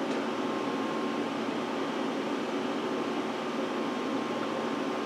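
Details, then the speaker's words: Power Mac G5 Quad on first boot after unboxing: loud steady rushing whoosh with a faint tone as the CD drive spins down; all fans pinned at full speed, possibly hung; owner suspects a crash. "no CD ROM just spun down so and now the fans are kicking up this thing's definitely thinking pretty hard here Wow"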